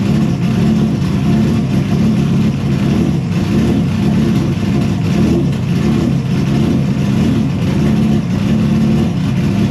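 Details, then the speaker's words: Engine with new homemade 3D-printed intake manifold after earlier intake explosion, now started after PFI Speed remotely corrected ECU settings: loud steady run, strong low rumble, even revving in confined space, firing smoothly; normal running. "All right, guys. So, as you saw, she started up."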